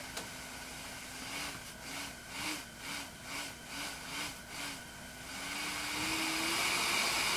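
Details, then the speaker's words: ResMed CPAP nearly 5 years old in mask-fit test: faint steady whine rising with each breath over airflow hiss; slight blower whine remains, suspected dirt or fouling on turbine blades. "If I get it to where the happy face comes on, there's no more whining. Well, there's a little bit."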